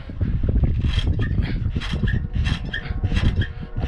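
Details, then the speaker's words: Semi truck driveshaft polyurethane carrier bearing shaken by hand from underneath: irregular clunks and scrapes from loose play; a worn carrier bearing that caused a road howl while driving. "i've got all kinds of play if you can hear that in my carrier bearing so i've got a carrier bearing going out"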